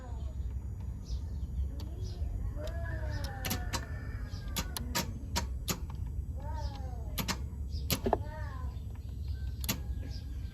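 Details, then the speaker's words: Starter jumped via relay terminals 30 to 87 with a jumper: sharp irregular clicks, about a dozen in ten seconds; starter clicks but does not engage or crank after cranking once. "as you can hear the starters clicking but it's not engaging so it cranked once but it doesn't seem to be cranking anymore"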